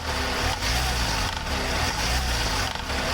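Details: Hyundai Venue engine with the AC on: steady low engine drone with a faint dull pulse about every second and a half while loaded by the AC; cause unclear.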